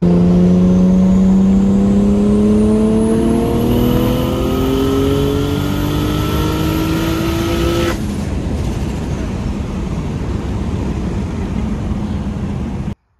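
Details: Turbocharged build after fixing pre-turbo exhaust leaks at external wastegate flanges (cheap clamps replaced with genuine TiAL); full throttle pull from about 3,200 rpm, 3 psi at 3,500 rpm, 7 psi at 4,000 rpm; strong, even note climbing in pitch, no leak puffing, normal spool.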